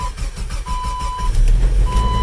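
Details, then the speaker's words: Jeep cold start at 7 degrees outside: uneven, dragging starter churn with chime tone over it, turning sluggishly before catching; struggled a little but started. "it struggled a little bit but start it up ever reliable cheap what would I do without you in the winter"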